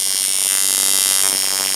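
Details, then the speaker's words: Coil tattoo machine, color packer (shader type) with 10-wrap Ringmaster coils and a shorty stilted back coil: fast, hard-hitting high buzz that holds steady and even. Runs faster and hits harder than a normal shader; normal running. "And now I'm going to show you a color packer, it's in the shader category. It does all the things a shader does, except for it hits a lot harder, and it's a little faster than a normal shader."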